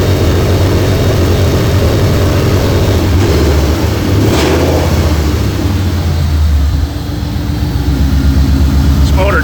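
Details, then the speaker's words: 2004 Mercury Marauder with freshly installed fully forged supercharged 03-04 SVT Cobra engine and brand new headers, slightly smoky, warming up: deep, steady burbling idle through open pipes, even beat, no knocks or ticks; owner not concerned, sounds good; normal warm idle. "Nothing I'm too terribly concerned about. Certainly sounds good."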